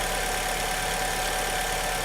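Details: 2002 Alfa Romeo 147 2.0 Twin Spark, after the misfire was fixed by replacing a faulty ignition coil and plug (valves passed compression test): steady, even idle with no stumble or missing beat; normal idle.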